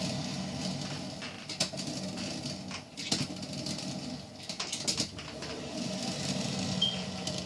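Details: Hamilton Beach stainless steel 12-cup electric percolator model 40614R heard from about 3 feet away during its roughly 8-minute brew; quiet irregular popping and spitting bursts over soft bubbling hiss, brewing normally.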